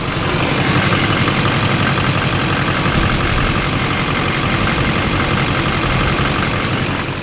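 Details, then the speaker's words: Warm GM Duramax diesel at idle: sharp, rapid tick of about three per second, louder than it should be; source not pinned down, injector balance rates being checked with a CTS monitor. "now I'm sure you guys can hear that prominent tick-tick-tick very common but that one's louder than it should"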